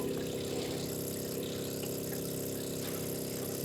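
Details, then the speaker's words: Ferrari 308 GTS with rebuilt V8, engine off, fuel pumps priming the carbs for the first time in years: steady electric hum with faint ticking pulse; checking for leaks and flooding, none found, normal. "o pump some fuel around and basically we're just checking for leaks because obviously it's the first time the fuel filter the fuel pumps have had anything in for a few years"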